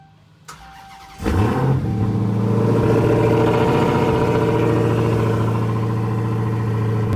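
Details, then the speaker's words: Hellcat-swapped "Hellkeazy" engine rebuilt after "blown up" misfire; shop found three spark plug tips touching, compression fine; first cold start since return: quick crank, strong even idle, no misfire, engine light gone; shop says snout bearing going bad. "this thing sounds good it's been a minute while so as you can see the engine light is gone and there's no misfire"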